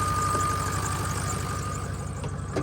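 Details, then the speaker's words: 2006 Ford F350 6.0L Power Stroke turbo-diesel at idle after replacing the VGT solenoid: steady low clatter, faint even whistle and a belt squeal, but the earlier air hiss is gone. "I heard a belt squealing but I don't hear there's no air hissing holy cow did I fix it"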